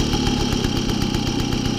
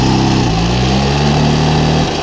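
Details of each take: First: 1972 Motoconfort/Motobécane 50VL moped, first start after overhaul, cold engine started without choke: fast, even two-stroke putter idling steady, perhaps a bit high, with throttle released; idle to be adjusted later. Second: 1972 Motoconfort/Motobécane 50VL moped, first start after service: small two-stroke buzzes evenly, rising and dipping smoothly with each throttle blip, no knocks or misses; runs well.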